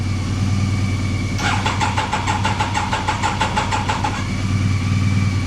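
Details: Triumph Daytona 955i project bike, with starting spray added into the airbox: a couple of seconds of quick, even starter cranking over a background hum, and no firing; it cranks but won't start.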